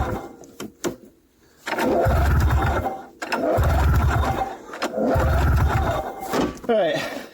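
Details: 1994 Yamaha VX500 two-stroke snowmobile, long stored, electrics confirmed good: three long recoil pulls spin the engine with a hollow cranking rush, but it never catches; no start, and it is suspected it isn't drawing fuel from the tank.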